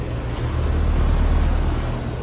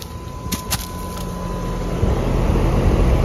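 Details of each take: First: 2022 2-ton Payne outdoor heat pump unit, installed last year, running: steady, even low hum from compressor and fan with no knocks, rattles or surging; normal running. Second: Trane XR13 outdoor unit with loud, rough low roar over a steady hum, much harsher than normal; compressor suspected dying, not confirmed.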